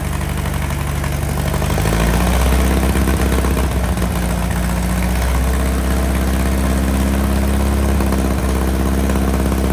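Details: 1961 VW Beetle barn find, unmuffled air-cooled flat-four after years sitting, running on bowl fuel: low, steady, slightly lumpy beat that settles evenly; idles fine, rear main seal leak suspected.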